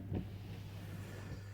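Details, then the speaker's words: Jaguar X300 4.0 six-cylinder after wiper fault repair: quiet steady low motor hum with soft clunk at start of sweep; wiper now working normally, washer warning light still on though fluid is full. "et on a notre notre essuie-glace qui fonctionne"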